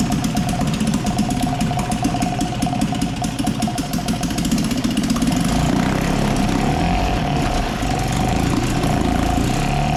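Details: 1956 Firestone 3.6 hp outboard, first run after sanding the points and priming gas down the cylinder: fast, fairly even two-stroke popping with a light rattly edge; running normally.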